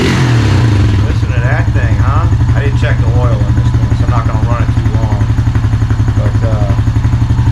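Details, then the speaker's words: Honda Rancher TRX350FM3 (about 2003-2004), 350cc air-cooled single, in neutral after carburetor rebuild for hard start, flooding: steady even thumping idle, about four beats a second, no hunting or stalling; idle and air-fuel mixture good. "idle's good looks like I got the idle air control and everything the air fuel mixture is good"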